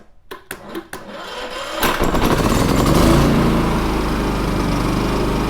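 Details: Champion 3400 dual fuel portable generator, about two years old, sat nearly a year, wouldn't start on gas; after carburetor bowl cleaning: a few sharp pull clatters, then catches and runs steadily and evenly with no misses.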